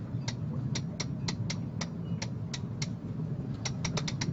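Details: Lewmar sailboat winch being reassembled after cleaning and greasing of pawls and gears: crisp, evenly spaced pawl clicks about three a second over light gear whir as drum spins; normal, healthy winch.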